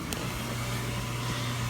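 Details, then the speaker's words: Slant-Fin VSPH-120 gas boiler firing about one minute after the thermostat responds, zone valve kicking in; steady low hum under an even soft rush of flame, no surging or rattles – normal burner operation. "thermostat just responded after one minute I'll show you there goes the flames shooting at right now"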